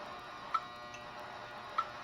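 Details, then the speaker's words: 1986 Honda Spree revived after 25 years outdoors, temporary rewiring: turn signal flasher gives crisp even clicks about every 1.2 seconds; both turn signals now work. "hopefully y'all can hear that okay so both turn signals now work"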